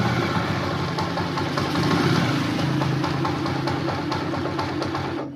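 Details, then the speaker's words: Honda TMX motorcycle, started on choke after hard starting: uneven, lumpy idle with loose rattly ticking and clunking that sags and then cuts out; noisy engine that won't hold idle. "Ayun namamatay no yun. Sige start ulit. Issue nito guys maingay yung makina makaldag ah may kalampag malagitik tapos hard starting siya."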